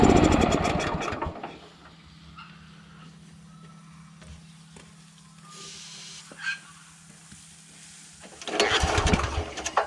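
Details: Honda GX340 petrol engine on an auger, won't pull-start without aerosol start then dies, after throttle linkage adjustment; rough burst on pull, weak uneven run, recranking; spark plug carboned up, gap okay; hard starting and stalling, cause unknown.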